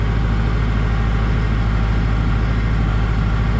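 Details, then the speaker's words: John Deere 5410 diesel tractor on the hand throttle, no load, algae in the fuel: low, unusually quiet idle with a soft, slightly uneven beat of about 200 per minute, losing fuel; owner unsure if injection pump or fuel line. "Starting to lose its fuel right now. That never runs this quiet."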